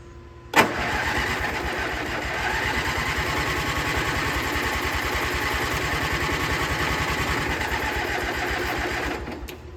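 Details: Gravely G-16 tractor, roughly late-80s/90s, not run in a few years, running on its own tank fuel: brief crank catches quickly into a steady even idle with a firm low thump; runs pretty good, smokes a little.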